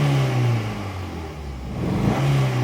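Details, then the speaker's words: Honda Fit with cylinder 3 and 4 misfires, where the old coils overheated with the hood closed; check light went out: a steady, even engine hum with no stumble or missing beats; normal running. "And she's running smooth again."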